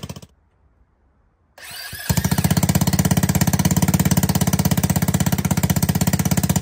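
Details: ATK 125 go-kart single-cylinder with a homemade welded muffler: loud, sharp, rapid puffing at steady fast idle, raw and crackly. Muffler back pressure pushes fumes out the leak. Exhaust leak at manifold, and the owner expects fixing it will quiet it a lot.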